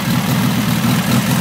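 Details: VW air-cooled stroker engine with Nology ignition, points regapped to .018 and distributor locked down, compression 180 psi: steady, even low burble with no stumbles or skips; instant start, normal healthy idle.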